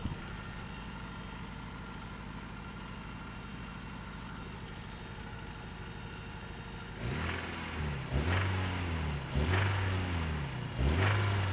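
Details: Toyota 4Runner 22RE, cold start, just filled with 5W-30: uneven idle, then a loud knocking clatter rising with each throttle blip. Owner suspects the timing chain or rod knock, unconfirmed.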